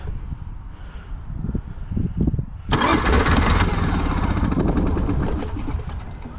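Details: Honda EV6010 generator in a 1976 GMC Transmode motorhome, rear fuel tank removed; starter cranks in uneven bursts, then it catches briefly and runs rough, hard to start. Owner suspects a leaking carburetor needle and seat, possibly debris; fuel-side cause unconfirmed.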